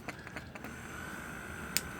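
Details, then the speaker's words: GY6 scooter starter motor bench-tested with direct 12 V before installing a Shin Yea high-torque starter: a few clicks, then a steady high hum with no spinning; the starter was grounding itself and would not crank. "that it was grounding itself that's why sorry about that it's gonna be harder now because there's a magnet there"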